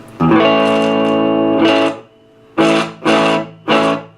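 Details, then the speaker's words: 1966 Gibson GA-15RVT tube guitar amp, fitted with a three-prong cord: guitar chords sound gritty and distorted with crackling that comes and goes. It has a fluctuating volume problem plus slight hum; the power supply filter capacitors are to be checked. "now when you plug it in it does work but you can hear it kind of crackling it's it's it kind of comes it goes so it's got this fluctuating volume problem"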